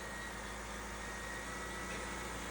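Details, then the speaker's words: Repossessed Cadillac SRX after a zip-tie repair: a smooth, even idle with a steady low hum and no stumble or misfire. Running a lot better than before the repair. "Sure seems to be running a lot better. I don't want to celebrate yet, because it might still run like crap for another reason. That's a whole lot different than before."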